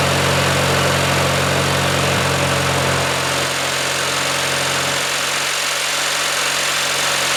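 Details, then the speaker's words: Early-1990s Craftsman GT6000 tractor with a Kohler Magnum 18HP, just after a complete carburetor cleaning and rebuild. It idles smoothly with a steady low drone and no stumbles or surging, and sounds healthy. "yeah that's amazing my goodness that sounds so nice this is one of those engines that I think if you take care of it just going to run forever"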